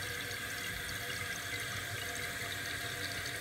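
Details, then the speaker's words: Toilet tank refilling after the water supply is turned back on: a steady rush and hiss of water through the fill valve, no sputter or squeal, as the float rises; normal refill. "notice how it's starting to rise once it hits the level you set for it it'll kill the water right there"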